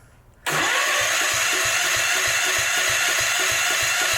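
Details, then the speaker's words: Old Gravely engine cranked by the starter with even thumps, about five or six a second, but it never fires. The spark tester shows no spark; 12 volts reach the coil, so the points are checked next and found dirty. "spark all right we got no juice"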